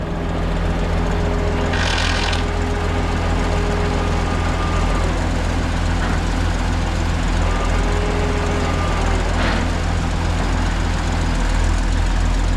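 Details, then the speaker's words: 1959 International dozer, diesel, with the winch stuck engaged and unable to disengage: a heavy diesel drone with a thin, steady winch whine as the machine moves. "Because we can never get it to disengage, but somehow or another he's got the machine to move."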